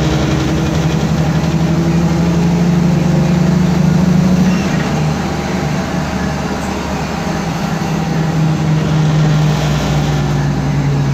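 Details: 2010 MAN Lion's Classic CNG city bus, 12 m, MAN D2876 LUH02 EEV engine, 290 hp, ZF Ecomat 6HP504C automatic, under way: steady low differential whine under the rumble, pitch drifting with road speed.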